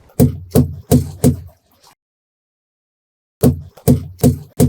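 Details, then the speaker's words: Hammer check on a hooked-up trailer's tires, which have central inflation, so no air gauge is used: firm, sharp raps about three a second, each ringing short with no dull thud. Good air pressure. "they've got pretty good air pressure. If I come back here, that one's good."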